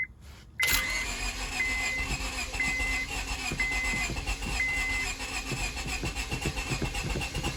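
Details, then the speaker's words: 2002 Honda Civic sat a month and a half after a clicking no-start and battery corrosion, fuel pump cycled for lost pressure: engine catches suddenly and settles to an even idle while a chime beeps about once a second. Hard start. "come on come on get going almost almost i hope it's not that rat what it did but it sounds like it's wanting to go"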